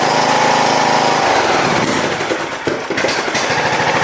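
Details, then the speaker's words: John Deere LA115 lawn tractor, after the fuel was drained and refilled, holds a steady idle, then bogs and fades as it pulls away under its own power, with clunks and rattles; stalls under load, garage filled with smoke. "Alright, it moves, but it kills itself. I see why it was free."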